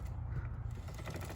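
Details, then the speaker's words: Yamaha Raptor 700 ATV drive chain, about 15 hours of use, probably never lubed and rusty, before cleaning: turned slowly, it gives a low gritty creak and faint clicking over the sprocket, a dry unlubricated chain. "about to start working on the chain as you can see this thing's pretty dry"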